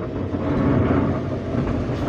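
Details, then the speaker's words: Daihatsu Gran Max, 111,000 km, accelerating in third gear: deep coarse rumble that swells and holds, like something underneath at the rear dragging; mechanic suspects a mounting touching something, unconfirmed. "keras. Dari pengamatan saya, kemungkinan dudukan tersebut menyentuh sesuatu."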